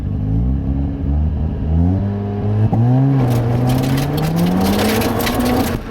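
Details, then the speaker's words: Mazda RX-7 FC3S Turbo II rotary on its new welded stainless exhaust with the cat deleted, trying a launch. Clean exhaust note climbs smoothly through the revs with no popping or stutter; pulls strongly; normal healthy acceleration. "I mean, it's just an enjoyable day. All right, boys, so we're gonna try a launch in the FC."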